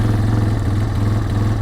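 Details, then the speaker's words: 2022 Polaris Phoenix 200 single-cylinder quad, after the induction leak letting extra air in front of the carburetor (lean, hard starting, rough idle) was addressed: steady, smooth, even idle with no stumbling; slight backfiring remains from the induction design. "oh Logan the power delivery is out of this world and it runs so smooth now we still get a little bit of backfiring"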